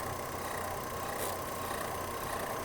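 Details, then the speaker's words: Idling engine with a steady mid-pitched hum and throb from the alternator area, confirmed by stethoscope; spraying water on the belt doesn't stop it, so it is a failing alternator, not the belt. "Spraying a little water on that belt will usually temporarily get rid of that chirp, and that's the way you know that it is just the belt. In this case, that didn't happen, and that's because it is the alternator itself."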